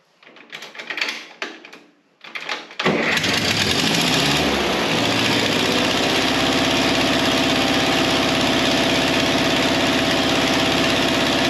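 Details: A few dull thumps, then a 1953 Ferguson TO20 tractor with a rebuilt Marvel Schebler carburetor and adjusted float catches and settles into a steady, even beat with no misses; sounds healthy.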